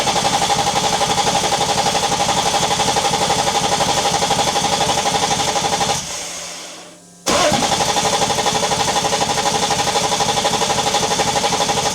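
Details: BMW E30, first start attempt after 6 years, engine just installed with rewired ECU loom, fuel pump confirmed working: starter churns steadily about four beats a second, pauses, cranks again, never fires. Crank no start.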